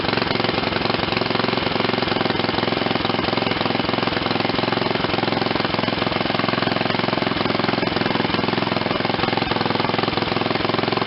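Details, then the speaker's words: Old Ariens RT7020 rototiller, Tecumseh HH70 7 hp horizontal-shaft engine, revived after sitting: quick even single-cylinder putter at low throttle near idle, steady beat with no misses; running properly. "let me turn up the throttle a little bit sounds like i got it on just about idle or something [Music]"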